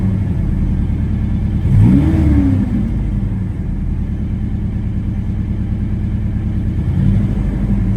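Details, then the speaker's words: Chevy S10 pickup after replacing bad injectors and fuel pump (had hard starting; earlier misfire traced to bad valves): steady idle rises smoothly into a clean rev and settles, no stumble; fuel pressure now increases when pressing the gas, normal revving. "Now when I press the gas, the pressure actually increases now."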